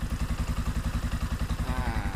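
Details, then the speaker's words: Scorpio motorcycle engine running: steady heavy low thumping about eight beats a second with a coarse, uneven edge; rough running, owner suspects the clutch, and RPM is off, possibly a broken cable; cause not confirmed. "terus kalau dari suara kalau Scorpio emang suaranya kasar ya itu terdapat di bagian kopling"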